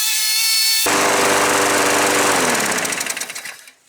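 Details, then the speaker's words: Craftsman 6.75 Platinum 21-inch push mower that poured black smoke at startup, after the auto choke was repaired (plastic cleared from the thermostat arm, spring checked): the engine catches and runs at an even, fast chatter with no missing. It runs properly. "Alright, perfect. That's running the way it's supposed to."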